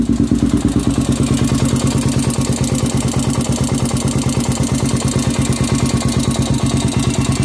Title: 400ex bottom end engine noise after rebuild.